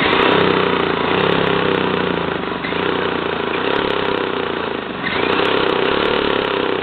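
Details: 1977 JCPenney Pinto two-stroke moped, sat about 8 years, run on a Briggs & Stratton lawnmower carburetor with oil mixed in: rapid buzzy note holding fairly steady with a couple of brief sags; runs acceptably.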